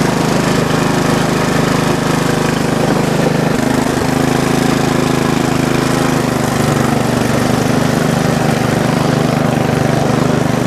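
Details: Bolens riding mower single-cylinder, first start on choke after a new homemade valve cover gasket and an overnight battery charge: steady, even drumming, no misses or knocks; normal running.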